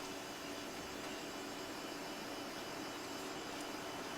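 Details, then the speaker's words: Modern fan, never oiled, first start of the season, running on low with oscillator off: steady, even whoosh of air with a soft low hum and no ticking or rattle, working better than anticipated. "see if it'll actually oscillate well it's working better than i really anticipated it too"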